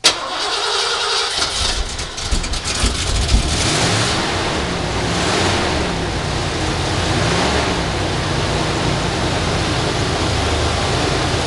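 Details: 1989 Ford F150 XLT Lariat, 5.0 L fuel-injected V8, real cold start after a week under rain, snow and ice: short crank, catches, settles into steady even fast idle, no misses or knocks. Normal cold start.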